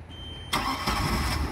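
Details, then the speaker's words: Mercruiser 3.0 marine engine, erratic running and dying fixed by an acid-dipped carburetor rebuild with a quality kit and fresh gas, on load test: catches almost instantly after a brief crank, then settles into a steady, even run; normal start. "ran it on the hose once already so we knew it ran pretty well it started right up"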